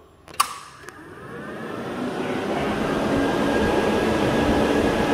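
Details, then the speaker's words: Two existing 12-inch electric radiator fans on a blown 406 LS burnout car, running before swapping to a single Derale shrouded fan because they were not cooling enough: rushing air builds to an even, steady whoosh with no rattle or scrape. "there's what it's like with the two 12-inch fans that are currently on there"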